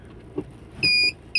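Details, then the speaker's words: Maruti Swift Dzire diesel that would not engage reverse and kept moving forward, after gear-wire repair kit installed: two steady high beeps about half a second apart over a quiet idle, the reverse buzzer sounding properly: normal reverse warning beep. "Reverse sound भी शानदार है। पूरी तरह से सही।"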